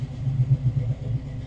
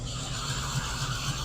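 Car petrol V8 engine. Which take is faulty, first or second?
second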